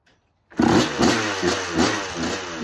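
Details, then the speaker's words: 1986 Kawasaki KX125 two-stroke with spark regained and a clean carb, run without choke with the idle screw raised twice. Sharp revs rise and sag in bursts and it still won't idle. Cause suspected, not confirmed. "Okay. Doesn't want to idle. Turn the idle up a bit more. [Music] still doesn't want to idle."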